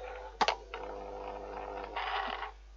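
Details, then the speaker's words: Fan heater switched on with a fault: a thump, then harsh buzzing scrape and the fan is not turning, described as a terrible noise; the fan wheel is rubbing, later fixed temporarily with electrical tape on the spindle. "i'm going to do this very very quickly because it doesn't work all right if i turn this on it's making a terrible noise"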